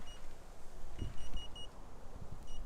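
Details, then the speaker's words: Teamgee H6 electric skateboard while riding at quarter battery, about 2 miles from the car: short high beeps in groups of three over wheel rumble as the last battery quarter flashes, low-battery warning. "It's beeping 3 beeps, and it's now showing the last quarter battery flashing."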